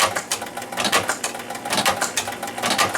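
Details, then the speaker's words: 1976 Williams Space Odyssey pinball machine after start with free-play hack: clunks and whirring repeat about once a second as the ball eject keeps cycling after the ball is out; score motor running continuously, cause not found. "now it's just doing that over and over again, even though it did kick the ball out."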